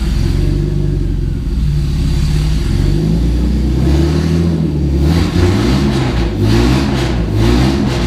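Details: 1990 Mercedes-Benz 300E, long-sitting, running after fuel injector cleaning: deep, loud, raw blat swelling as revs rise with nothing muffling it; catalytic converter and entire exhaust downstream were stolen.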